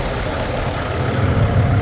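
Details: 2022 Ram 2500 Cummins diesel at idle: a faint light tick riding on the rumble; cause unclear.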